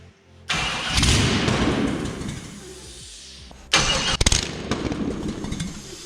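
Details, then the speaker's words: 350 V8 newly installed in a C10 truck: cranks, catches briefly, dies, then fires only in short ragged bursts on starting fluid; no fuel pressure yet. "Now we just gotta get some fuel pressure. You could probably run it for a second if you sprayed that."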